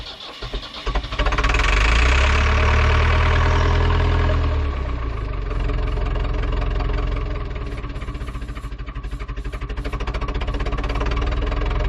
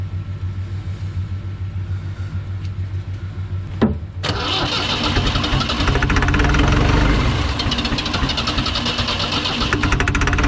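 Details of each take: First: Ford 2701E 4-cylinder 240 ci IEL diesel on a grapple log loader, sitting since 2005/2006 with 15-year-old fuel: starter churns steadily but it never catches, air in the fuel system; fuel reached injector 4 and bleeding continues. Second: Ford 2701E 240 cu in four-cylinder diesel (IEL, model 242DF-6005ARS) on a grapple log loader, first start after sitting about 15 years, air bled from fuel system: cranks about four seconds, catches with a thump, settles into even diesel idle clatter.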